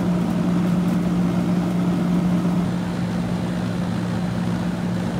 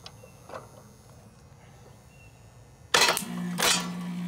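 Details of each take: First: Circa-1991 ICP condenser, compressor previously would not start, after adding hard start kit (potential relay and start capacitor); steady even hum, constant low drone, no clatter or stalling: normal compressor run. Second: About 1991 ICP outdoor AC unit, condenser fan running but compressor not starting, hard start kit temporarily on the capacitor: quiet, then a hard clunk as the stuck compressor breaks free and settles into a steady hum.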